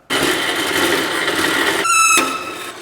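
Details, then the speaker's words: Bandsaw cutting heavy steel fence rail (oil rig pipe): a loud, steady, high-pitched squeal with a shriller ringing burst near the end. The blade is squealing; a worn blade or soft steel is suspected. "Saw is really giving me a fuss today. I don't know if this is like softer steel. It's real like oil rig pipe. Might be time to change that freaking blade."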